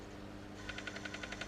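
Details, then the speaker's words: Bose Wave Music System AWRCC5 after reassembly (sold as CD skipping, previous bodged repair), speakers disconnected: sharp crackling pops about six per second over faint hum; owner suspects failed capacitors, the usual fault, not confirmed. "It's not happy, but it's working. Wonder what that sounds like. That'll be them capacitors. That's toast. The usual fault."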